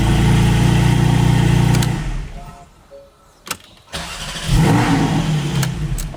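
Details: GT4 engine starting after installing a lightweight AntiGravity battery with lower amp-hours: a strong steady note settles into an even idle, a brief lull, then revs pick back up; normal, healthy start.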